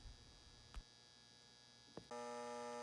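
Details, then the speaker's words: Marx 666 toy train locomotive: steady electrical buzz under power but motor never turns; E-unit stuck, won't go into forward or reverse. "man it sounds like it's just the e unit stuck and it won't go into forward or reverse position"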